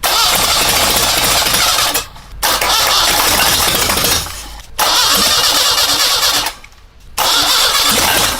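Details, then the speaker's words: Cold air-cooled engine on first start attempts with untrusted carburetor and makeshift ignition wires: three cranking bursts with a few ragged catches, builds oil pressure but never runs; fires briefly but won't run. "It starts to build the oil pressure, but of course it's cold. It gives a couple of ignitions and that's it."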